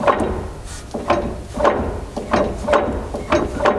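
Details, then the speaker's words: Land Rover Defender rear axle, in neutral with wheels blocked, driveline rocked by hand: sharp clunks about twice a second showing heavy play; driveline backlash clunk. "we're gonna rotate now look at the play now I mean that's quite lot of play isn't it and you can actually hear the sound"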